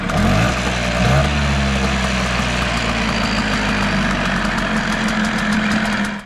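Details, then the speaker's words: Small outboard run after lower unit repainted: fires up and settles into steady, even idle with no knocks or misses until shut off; normal idle. "firing it up one more time after painting the lower unit and the CR still running good"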